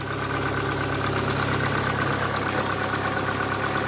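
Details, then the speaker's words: Opel Astra G Bertone coupé after throttle-body cleaning, warming up at idle: light quick valvetrain-like ticking about twice a second that starts fading; owner suspects something lost its prime, ticking gone on the test drive. "Le cliquetis. Ouais. Ah, là, il commence à partir. C'est qu'il n'est pas amorcé ou je sais pas quoi, il y en a un qui s'est désamorcé."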